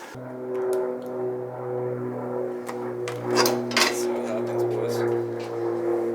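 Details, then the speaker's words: Freshly rebuilt Yamaha Zuma 70cc two-stroke stunt build, first kickstart on a full tank: it starts right up and settles into a steady, even buzzing idle for its first heat cycle. Normal warm-up. "Gosh, you started right up though. Woo. Let's let her warm up. First little heat cycle on her."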